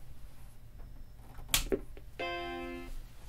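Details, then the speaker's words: 1989 Macintosh SE/30 (32 MB RAM) at first power-on after replacing the power supply with a Seasonic unit: a click, then one clean sustained startup chord, and the screen comes on normally. "chime screen coming on nice and perfect as it should be"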